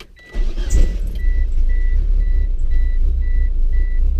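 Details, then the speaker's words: Manual car after clutch failure at drag strip: starter catches quickly and engine settles into steady, even idle under a cabin chime; engine runs fine, but with it running gears lock out, owner suspects clutch disc failure. "it turns on, runs fine."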